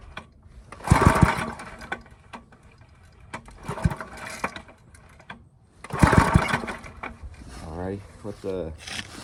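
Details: Briggs & Stratton I/C 5 hp engine with Pulsa Jet carburetor after quick non-thorough clean, spark and kill switch confirmed: two recoil pulls, each a short chugging burst that dies, never catches; fuel delivery suspected, gas then added to air filter.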